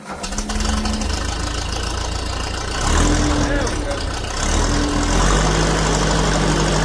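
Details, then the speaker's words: Old grey Ferguson tractor, petrol, started on choke after years sitting in a field. It settles into a steady, even idle with no knocks or misses, with some smoke and an oil leak noticed. "yeah all oh yeah isn't she running and don't she run like a Swiss watch"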